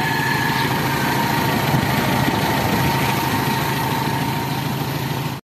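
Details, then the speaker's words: Toyota 4K engine after timing chain replacement: smooth, even idle with a steady hum and no chain rattle or slap on top; the earlier timing chain noise is gone; normal idle. "Yan oh, ayos na mga kabumrom. Wala na yung ingay yung timing chill."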